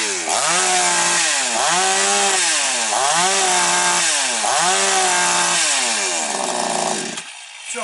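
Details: Chainsaw on its final test after an air-leak fix and cylinder inspection: crisp revs snap up and drop back cleanly about four times, then settle to a steady idle without hunting; it runs healthy.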